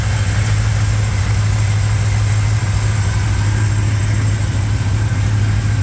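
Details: 1987 Chevrolet K10 4x4 truck, first start after blown head gasket replacement, warming up: smooth, even V8 idle with steady low rumble and no knocks, misses or ticks; normal healthy idle.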